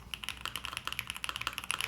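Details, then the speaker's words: Pre-built LuminKey75 keyboard, possibly baby raccoon linear switches: even, quick taps about ten a second, soft and slightly foamy or muffled with no rattle or ping; healthy keyboard typing. "yeah it's not my favorite because I do feel like this is a little bit foamy sounding which is not a bad thing right"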